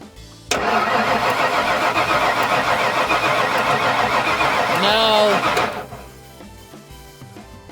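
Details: 1996 Ford F250 4x4 460 V8 (OBD1), fuel-pump or electrical fault suspected: starter grinds steadily about five seconds, engine catches unevenly but doesn't take off, then drops away; cranks, won't start.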